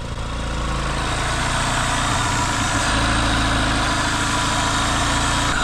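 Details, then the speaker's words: 1974 BMW 2002 after 30+ years of storage, now on fresh 93 gas and burning it down; an uneven, lumpy idle with raspy exhaust, blowing rust out the exhaust, with bad spark plugs suspected. "let it burn that gas down pretty damn Qui it is quiet right sitting for 30 years but it's definitely got bad plugs"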